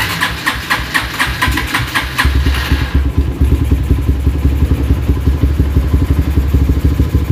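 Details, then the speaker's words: GL motorcycle with open brong exhaust, carburettor not yet tuned: starter whirs, engine catches into loud, choppy idle that rises and falls once warm; unstable idle, with knocking when hot, cause not yet determined. "Oke dia itu sudah ketika mesin mulai hangat ataupun dia itu sudah menginjak musim panas stabilnya mulai tidak stabil ya naik turun naik turun"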